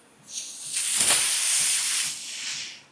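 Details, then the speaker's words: New replacement air conditioning condenser, blanking plug undone before fitting: sharp steady hiss rises, holds about two seconds, fades, showing it held pressure; no hiss would mean a faulty unit to send back. "But when you get a new condenser, when you undo it, I don't know whether you can hear this now. If it doesn't go, send it back."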